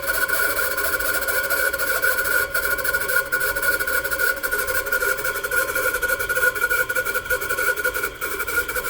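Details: Constant high whine with a rough buzzing hum at steady speed, no knocks; a bad bearing is suspected but not confirmed.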